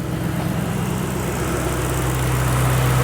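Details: 2008 Roush 427R Mustang V8, 72,000 miles, salvage car, warm: low even burble at idle with no ticks or knocks and a rhythm that never stumbles; sounds healthy.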